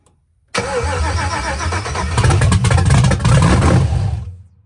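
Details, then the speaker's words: Cutlass with a Gen4 LS swap, first start on junkyard injectors, fuel holding 50 psi: cranks and fires promptly into a loud, open rumble that swells with a couple of blips, then cuts off; a clean, healthy start. "oh [ __ ] y'all heard it she started we got fire in the hole she pretty loud too"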